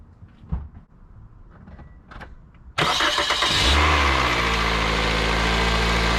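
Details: 2003-2008 Toyota Corolla after starter replacement (old starter dodgy, needed tapping), car sat a week, battery 12.27 V: quiet pause then engine catches at once, smooth steady idle, no stumble; normal start.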